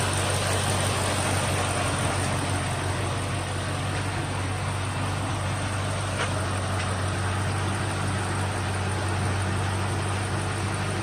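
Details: 2003 Ford Mustang SVT Cobra after 4 months of winter storage, dead battery replaced with new Motorcraft BXT-59: even, steady low rumble, no knocks, misses or hunting, settling into a smooth idle; normal healthy idle.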